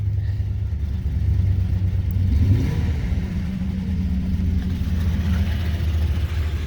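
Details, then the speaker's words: 2000 Lincoln Town Car 4.6L, low on fuel and given a gallon: engine revs up and settles with a lumpy, uneven rumble and wavering pitch, with a rotten-egg smell. Rough running; cause not pinned down. "one more time good measure everybody cross the fingers here boy ooh do you run rough"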